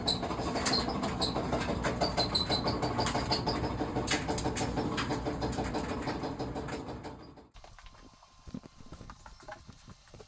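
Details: Clothes dryer making loud knocking and squeaking noises while running: knocks about three times a second with high squeaks over the drum rumble.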